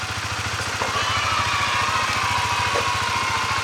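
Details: Honda CBR150R single-cylinder motorcycle after engine overhaul fixing broken internal bearing and noisy clutch housing that caused cold-start knocking: even, steady putter about three and a half beats a second, no knock or rattle; engine healthy.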